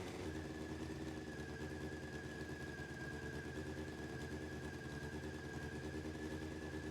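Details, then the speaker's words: Honda CBR600F4i with 64,000 miles, first run after reconnecting the bank angle sensor, running on all 4 cylinders, headers hot: steady, even hum with a faint constant whine and no knocks or ticks, sounding healthy for its mileage. "Doesn't sound too bad for having 64,000 miles on it. So now just checking, it's definitely running on all 4 cylinders, and you can tell from the temperatures they're all pretty hot."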